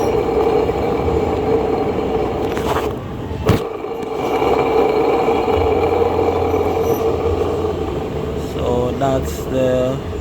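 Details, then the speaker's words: 1992 BMW 318i, engine running with belt still on: steady mid-pitched singing whine from the worn A/C compressor pulley bearing, whose lining was found damaged; the bearing is replaced with a new one. "bearings making the song there so we're gonna remove the bearings and reinstall our brand new one"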